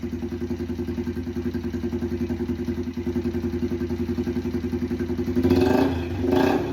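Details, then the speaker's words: Yamaha TTR 90 after top-end rebuild, first run of a minute or two with no exhaust/muffler fitted, basically a straight pipe: sharp popping single-cylinder bark crackling louder on throttle blips; backfiring from open pipe, slight smoke at idle. "Um, it's obviously backfiring because there's no um exhaust in there."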